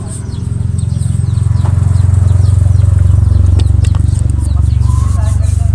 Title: fuel pump pala bakit hard starting